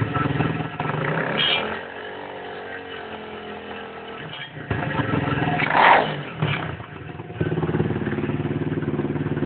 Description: Grinding or rattling type of noise when you rev down on the lifan 125cc in its running in period.